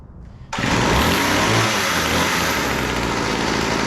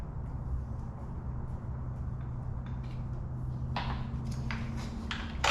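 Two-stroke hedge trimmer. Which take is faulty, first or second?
second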